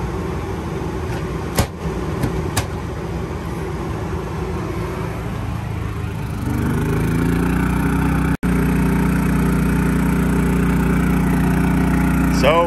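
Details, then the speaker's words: New Predator 3500 W inverter generator powering an RV air conditioner and microwave together. Steady hum rises in pitch and grows louder as load comes on, then holds even; it returns to a quiet idle when the load is switched off. "the ac and microwave running definitely starts using a little power definitely idled up there i'll go turn it off but it handled it turn that off goes right back down to a quiet idle sounds good"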